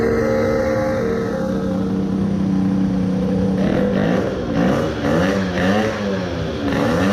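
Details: Tuned 20 hp two-stroke moped, crankcase resin-filled, with coolant, after 10-minute idle break-in: high revs waver and sag unevenly, pitch dipping as it labours, then seizes totally locked; owner suspects main bearings seized.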